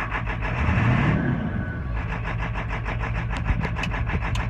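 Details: 1996 Ford F-350 7.3 Powerstroke diesel idling with an uneven, lumpy beat and irregular knocks over the clatter; rough idle, cause unknown after replacing the ICP sensor, oil and fuel filter.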